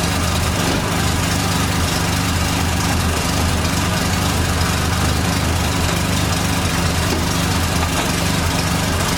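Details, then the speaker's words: 1989 Dodge Daytona ES salvage-yard car: steady idle with an even low rumble and a faint constant whine, noted as power steering whining. "i'm gonna fire this thing up hopefully it runs right no issues here we go whining noises the power steering car"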